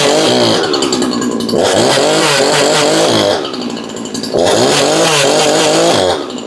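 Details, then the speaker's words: Husqvarna 353 chainsaw, said by the seller to bog from a tight chain, now with the chain moving freely: strong high buzz that revs, dips as it bites into wood and recovers cleanly during test cuts; normal running under load. "But now that we're moving freely, let's see if we can fire it up and do some test cuts."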